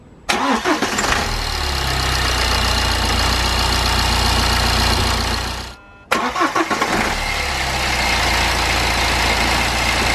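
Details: BMW N47/N57 diesel after replacing crankshaft pulley (damper), drive belt, tensioner and idler pulley: cranks and catches fast, settles into a smooth, steady idle, shuts off and restarts cleanly; nothing off in the belt drive.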